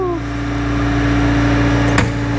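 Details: Bobcat S64 skid steer with weak hydraulics, pressure gauge on the continuous-flow auxiliary port; steady diesel drone with a firm even hydraulic hum as the relief valve pops off at deadhead, about 3325 psi; pump and relief working normally.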